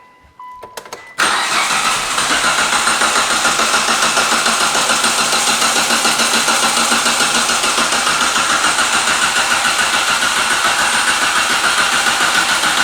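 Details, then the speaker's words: 2006 Mitsubishi Lancer ES sitting about four to five years in storage: steady rhythmic cranking, spins over freely (not hydrolocked) but never catches; crank no start, owner suspects five-year-old bad gas. "all right turn it off all right at least we know we're spinning over and it's not like the Camry was Hydra locked and and I had a throne rod at least that is promising that it spins over good I wish it would crank up"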